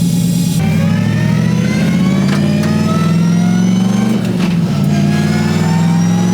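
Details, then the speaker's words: Twin-turbo 6.2 Crown Vic after new 5.13 rear gear install, cruising about 45 mph: steady engine and road hum with no whine; differential sounds quiet and healthy. "I mean, it's pretty quiet. I don't hear no crazy whining or anything like that, so I guess we done that right. It seems to be humming pretty good right now."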